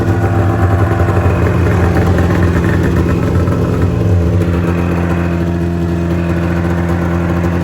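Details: 27-year-old Mountain Cat two-stroke snowmobile, after the fuel pump and fuel delivery were cleaned to fix a misfire: a steady, even burble at constant speed with no stumbles or misses, running cleanly.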